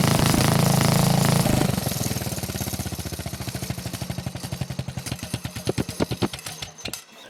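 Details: Old Montgomery Ward riding mower with a flathead single, temporary tractor-style muffler fitted: even, deep single-cylinder thumping through soft muffler, beats slowing and spreading apart at shutdown; sounds healthy.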